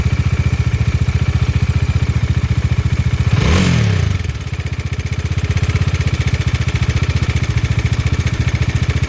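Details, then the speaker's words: Bajaj Dominar 400 before cam chain tensioner replacement, old tensioner with visible play: fast, even idle with a light clatter through a quick blip; cam chain tensioner noise, fixed by fitting a new tensioner. "Tensioner बदलवाने से पहले की engine noise."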